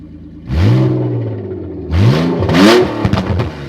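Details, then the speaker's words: 1998 Audi A4 2.8 quattro V6, manual, cold engine, blipped twice: loud raspy roar rising with each rev, mostly from the front of the engine; exhaust leak, with the catalytic converter hanging about half an inch off the ground. "But the sound is so loud. It's a manual. This is a cold engine. Pretty cold, as you can see. Most of the sound is coming from the front of the engine. Very loud."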